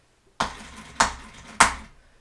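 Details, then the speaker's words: 1978 Oldsmobile Toronado XS barn find, 58,000 original miles, starter bench-jumped: four sharp clicks about 0.6 s apart, no spinning; solenoid engages but motor won't turn, bad or stuck brush suspected, starter to be replaced. "I don't think that's going to start the car so so basically um what that's saying is that I got a bad brush or stuck brush or brush brush is dead"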